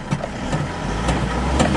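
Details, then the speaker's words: Isuzu Traviz diesel that suddenly wouldn't start, after clogged fuel filter replaced and fuel hand-pumped to bleed air: slow even cranking pulses about twice a second, low rumble, slow to catch; long cranking, priming repeated, cause not confirmed. "Ito nga mga boss, medyo mahaba pa yung cranking pag ini-start kaya pinabomba ko ulit yan dito sa driver."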